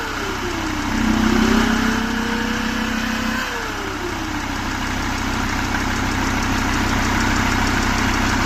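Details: Mercedes-Benz E-Class 270 CDI, OM647 diesel, idling with a whistling tone that rises and falls with revs; it starts easily and shows no smoke, but the turbocharger is noisy.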